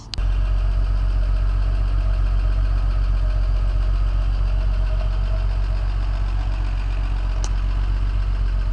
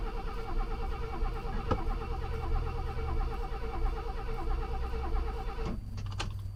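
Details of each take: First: Classic Mercedes running for the first time in over five years after secondhand pump fitted, initially flooded from oil in cylinders: steady, even idle, smooth low rumble, no knocks or misses; normal idle. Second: Classic Mercedes not run for over five years, after fitting a secondhand fuel pump, oil put into combustion chambers: steady rhythmic cranking about five seconds with no catch; crank no start, flooded engine.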